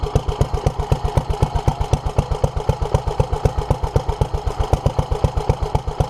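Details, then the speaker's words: 1947 Petter A2 single-cylinder engine running after its Zenith 24T2 carburettor was stripped, ultrasonically cleaned and fuel pipes replaced; started easily; crisp, even beat at steady slow tick-over, no misses, knocks or hunting; fuel leak remains; normal running. "I'm actually surprised how easy that started that like I said I've never studied one of these before and I'm gobsmacked"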